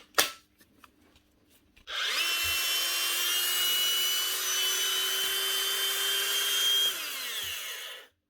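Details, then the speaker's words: Cordless tool after contacts cleaned, on a fresh battery: motor spins up to a steady high whine, holds speed evenly without rattle, then winds down cleanly; much quieter, running normally. "starts it runs and it's a lot quieter unless those batteries are worn cuz this is a fresh batteryless it's wobbling about but should be better now with them contacts cleaned"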